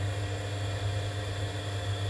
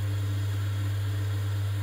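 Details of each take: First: Vaillant boiler showing fault F28 changing to F54, gas pressure 23.80: steady fan hum with faint ignition spark ticks but no burner roar. Pressure does not move during ignition attempts, confirming the gas valve is not opening. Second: Vaillant ecoTEC plus 637 system boiler after replacing the faulty gas valve that caused F28/F54 ignition failure: a steady, even low hum of the burner firing with no flutter, popping or surging, so normal burner operation.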